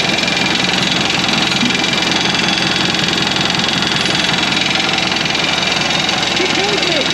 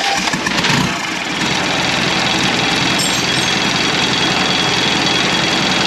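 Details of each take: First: 1991 Land Rover Defender 90, Turner Engineering remanufactured 200TDI diesel, first start: loud regular clattering rattle at low idle, about two to three knocks a second; owner thinks idle is set too low, smoothed with a little throttle; 50 psi oil pressure. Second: 1991 Land Rover Defender 90, Turner Engineering remanufactured 200 TDI diesel, first start after four years, fuel system being bled: steady rough churning on the starter, nearly catching, nothing odd underneath; normal cranking and start.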